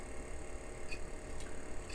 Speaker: drive back over it doesn't sound bad and will attempt to do something here so here's Protoss and I can hear the head stepping